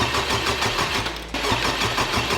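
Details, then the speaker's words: Totaled 2021 Honda Civic Type R rebuild, missing intercooler and pipe; it ran a few seconds on arrival, died, never restarted. Steady cranking about four compression pulses a second, never catches. Owner suspects a sensor tripped in the ECU, cutting spark, unconfirmed. "it only ran for a few seconds I'm wondering if there's some sort of like sensor or something else that tripped in the ECU maybe of course not allowing the car to get any spark so it won't start"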